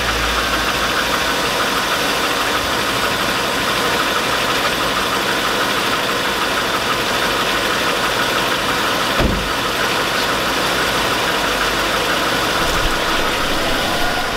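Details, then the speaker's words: 2002 Chevy Avalanche 5.3L at steady idle: faint, even deep knock over the engine noise; smells rich, owner unsure whether piston slap, lifters or rod knock and wants a second opinion; cause unconfirmed. "oh there that noise whatever it is whatever it is it's shot and something oh geez that can't be piston slap"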